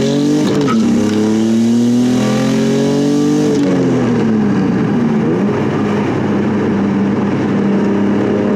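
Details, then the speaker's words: Nissan G35/350Z manual after shifter alignment plate realignment for grinding and no reverse lockout; revs climb and drop cleanly through gear changes, no grinding; shifting normal. "more shifter testing no issues there"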